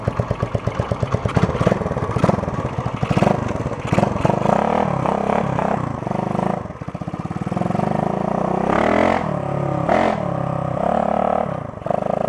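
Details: 1972 Honda SL125 single with new battery, cold start on handlebar choke: catches and settles into a quick, even putter with a few throttle blips; running healthy, normal idle after cold start.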